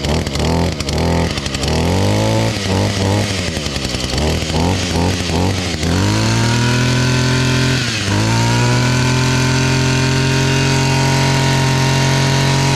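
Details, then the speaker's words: ECHO SRM-230 trimmer two-stroke after new carburetor fitted: buzzing through throttle blips then holding a steady high rev with clean even firing; fired up easily once kill switch was set, though primer bulb barely fills. "But yeah, that fired up pretty easy."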